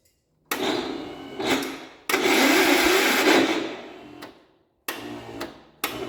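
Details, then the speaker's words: 1967 Gravely 430 barn-find tractor on a substitute battery: several one-to-two-second bursts of high whirring and rattling with no steady cranking rhythm. The starter bendix is slipping; the starter is shot and needs rebuilding or replacing. "Well, the engine does turn over, but the starter is shot. So, first thing I'm going to have to do is either source a new starter or rebuild this one."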